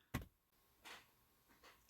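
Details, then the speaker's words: BMW E46 with turbo, engine off, ignition on after ECU tune and clearing adaptations: one sharp click then faint brief whirring buzzes; throttle body resetting its position, normal. "If you listen closely, could you could have heard the uh throttle body resetting the position."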